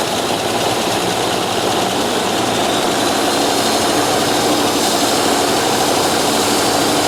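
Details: 1995 Dodge 12-valve Cummins diesel after the injection pump went back on: roaring hard at high, uncontrolled revs with no throttle change. Diesel runaway.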